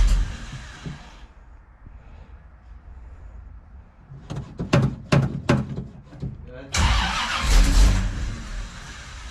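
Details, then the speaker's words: Old carbureted car, December cold start; engine catches briefly and dies, more cranking, then fires with a roar and falters, shutting off as soon as throttle is opened while cold. "As soon as I open it up, it shuts off."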